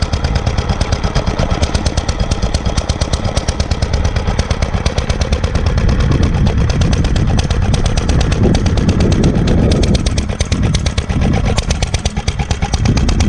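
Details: 1946 International Harvester LB hit-and-miss engine, freshly rebuilt, started cold, at full speed about 1,000 RPM; sharp exhaust pops about three per second over steady thump, even and strong: normal hit-and-miss running.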